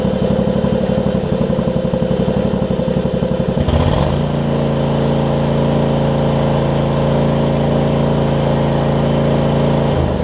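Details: John Deere LX279 riding mower with a liquid-cooled engine, hours unknown (no hour meter), just after a cold start. Firing is choppy and uneven for a few seconds, then settles into a steady run. Rough running when cold, possibly characteristic of the engine, cause unclear.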